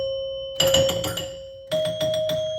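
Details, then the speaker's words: Sinbad pinball machine after chime repair: clear bell-like chime strikes ring in quick bursts while scoring 500 points, each tone clean and sustained. Normal chime operation. "Okay, I think that fixed it. I saw it coming on and off, and it sounded a little bit better."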